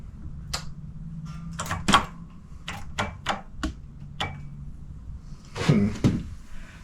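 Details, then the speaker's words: Honda motorcycle, nothing happens on the start button: several sharp single clicks with no starter spin; solenoid plunger moves but suspected of not making contact across the two posts, meter shows no continuity; cause suspected. "It makes a noise, so it sounds like the solenoid's moving, but it's not contacting the two when the plunger comes out."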